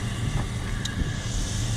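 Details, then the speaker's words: 2002 Chevy Silverado work truck with over 300,000 miles, warming toward 180 degrees before a plug, wire and fuel filter tune-up: steady, even low idle rumble with no knocks or misses, normal idle. "it sounds good, guys."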